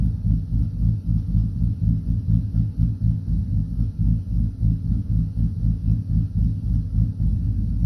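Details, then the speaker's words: 2012 Chevy Silverado with a bigger cam and Circle D torque converter, idle being set at about 700 to 780 rpm: deep lumpy idle rising and falling about four times a second; cammed engine idle lope. "ck up now it's just steady with that potato potato potato potato potato got that got that thump thump to her"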